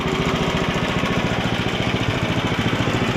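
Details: Ariens ST724 snowblower's small single-cylinder engine after impeller bearing replacement, carburetor work and oil change: steady even chugging about 3.5 beats per second; runs smoothly and healthy.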